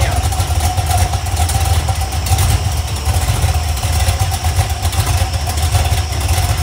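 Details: Iron 5.3 LS LM7 V8, believed 2002–2003, likely BTR Stage 2 truck cam, on a run stand restarted; loud low idle near 600 rpm with uneven loping beat, valvetrain ticking gone once oil primed, healthy.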